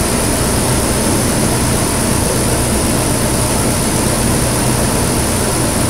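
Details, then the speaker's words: 2008 Nissan Pathfinder V8 just after a Volant Powercore cold-air intake install, first start, engine cover off: a loud rushing hiss of air by the throttle body over a deep engine drone, no tapping or grinding. Normal induction noise. "ma'am you can totally hear the air sucking by the throttle body if you pop it open there's a whole cool"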